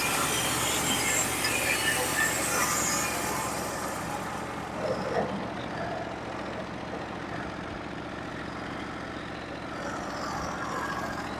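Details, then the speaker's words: Norwood HD36v2 bandsaw mill, first cuts with new sharpened Stellicut band and new roller guides through Red Oak; steady band hiss, even feed, no chatter or laboring; smooth cut, slightly less effortless than Turbo 7 bands. "so my overall first impression of the band is that it seemed to cut pretty flawlessly uh I would say that it's not um as it didn't go through that as effortly effortlessly as my Turbo 7s do but seem to cut pretty well"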